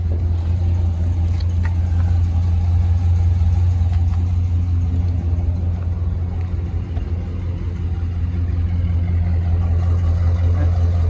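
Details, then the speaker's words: Auction 2004 GMC Sierra 2500HD 6.0 V8 4WD with broken exhaust manifold bolts leaking: deep idle with uneven, loping beat about three pulses a second that comes and goes; rough idle, owner suspects a cam, not confirmed. "It's running a little rough. Not terrible."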